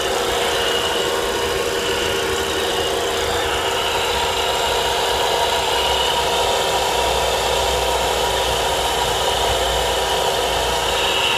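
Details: Volvo V70R idle: steady hissy, gritty whir over an even idle; noise disappears with the serpentine belt removed, so the alternator is suspected, probably a bad bearing, not confirmed; owner plans to replace the alternator.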